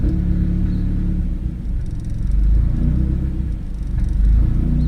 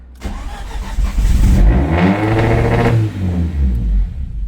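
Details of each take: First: Big-turbo Audi A4 B7, just started after installing and calibrating a drive-by-wire throttle body; a deep, low rumble holds a settled idle with only mild swells and no stumbling, and the DBW works properly; normal idle. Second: Audi A4 B7 big-turbo build, just-installed and calibrated drive-by-wire throttle body: cranks, catches, revs surge high and hang before settling; owner suspects throttle body opened too much, checking for vacuum leak; runaway flare on start.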